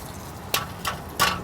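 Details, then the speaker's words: Suburban with a clunk on cold starts and light acceleration; heard from under the truck, the exhaust clamp is shaken by hand and gives four sharp metallic clatters. The clamp is out of position, likely since a transmission job, and is the suspected source. "So, we can tell this exhaust clamp is not really well in its position. And I can shake. I can hear the noise. So, I think this is where this is coming from."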